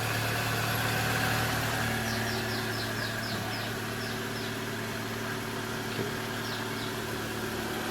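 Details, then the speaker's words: 2011 Toyota Vellfire ANH20 with a 2AZ-FE engine, after balancer shaft replacement for a rough-sounding cold start: steady, even, smooth idle hum with no knocks, a normal idle. "kedengarannya lebih halus ya"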